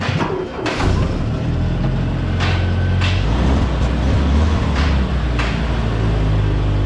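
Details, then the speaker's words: M151A2 military Jeep in neutral after new spark plugs and thermostat housing: steady low rumbling idle with crisp throttle blips, even firing, no misses or rattles; runs much better than before. "So it runs a lot better already."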